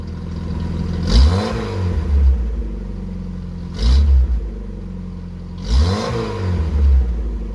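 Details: 1981 VW Rabbit with 1.8 swap, after installing 4-2-1 dual downpipe and thrush muffler to fix suspected front manifold leak; three clean blips rise and fall smoothly from idle, no puffing, ticking or rattle: normal exhaust note.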